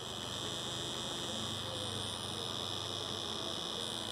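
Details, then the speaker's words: Bosch suction control valve on the high-pressure diesel pump of a 2010 Volvo V50 1.6 diesel (Ford DLD-416), fault code P0089, freed and plugged in with ignition on position two; steady thin high-pitched buzz; coil energised and working. "you can hear that you can actually hear it just just vibrating a little bit"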